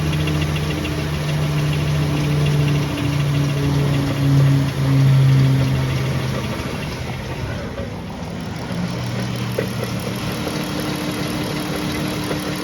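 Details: Chrysler Pentastar V6 at idle: steady, fairly regular deep internal knock around three to four beats a second over the low rumble; several second opinions suggest a piston wrist pin, not confirmed.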